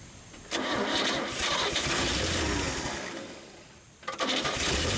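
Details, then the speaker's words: Long-dormant 1962 Chevy Bel Air being revived, fed from a gas can, battery charge uncertain and cranking seeming low: the starter spins steadily about 3.5 seconds, stops, then cranks again, never catching. Long cranking without starting; cause not confirmed. "not even sure if that battery's charged up good but that fuel pump did work last time so we're gonna go with that foreign they're not cranking too much better it seems like it's a little low"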